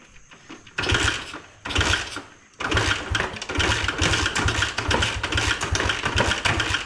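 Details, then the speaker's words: 1986 Honda XR80R dirt bike with low compression, first start after about a week of trying: a couple of short catches, then uneven sputtering firing about one beat a second, barely sustained; rough running, cause suspected, not confirmed. "okay it just sounded the worst I've ever heard an engine running holy cow it finally ran"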